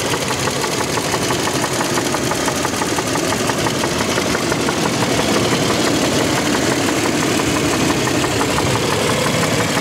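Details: 2007 Toyota Land Cruiser Prado 120, 1GR-FE engine, heard from outside only at idle, fading as revs rise while driving: steady idle with a sharp, regular knock about three per second, cause unknown.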